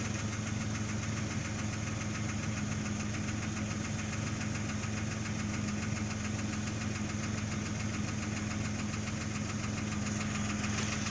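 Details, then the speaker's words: 2003 Jeep Grand Cherokee WJ 4.0 inline-six at cold-start idle: a light, quick tick over a steady low hum. It grows louder, stops and restarts as the engine warms. It has been present for two years, and the owner is unsure whether it is a tick or piston slap. "sometimes as it's warming up it goes and then it'll stop and then it'll start again then it'll stop so it's actually doing it now"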